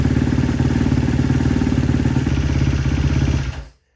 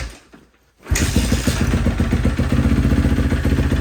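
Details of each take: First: Rebuilt 2012 Kawasaki KX250F after a full engine rebuild, first kick start: rough single-cylinder idle with a light, quick ticking on each beat, traced to excessive intake valve clearance needing re-shimming. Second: 2012 Kawasaki KX250F after full engine rebuild, intake valves found out of spec and re-shimmed: catches at once, crisp even idle, no valve tick over exhaust beat; earlier ticking gone.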